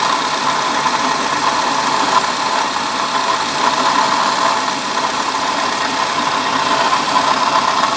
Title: Diagnose noise of bad water pump in car